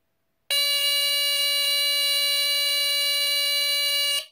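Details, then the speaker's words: Late-1970s BRK 3000 "Double System" smoke detector on test: steady piercing high tone about four seconds then cuts off, higher-pitched and less raspy than an SI 76 RS; normal alarm sound. "so that's the sound it makes I really like the sound it's not as raspy as my si 76 RS and like I said it is higher pitched"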